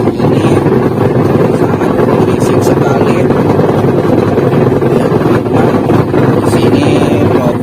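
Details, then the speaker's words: Sanken TW-8112 LW two-tub washing machine, pulsator running on wash timer: loud rough continuous grinding drone, weak spin with noise; worn wash gearbox. "the problem is this washing machine when it spins it is weak and makes noise"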